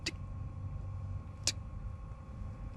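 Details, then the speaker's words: Silvel diesel air heater in a truck-camping setup at start-up, glow plug heating and fuel pump priming: sharp single ticks roughly every second and a half over a low hum, the dosing pump pulsing normally. "I mean, it barely goes. When it's cranking, it's like tick, tick, tick, tick, tick,"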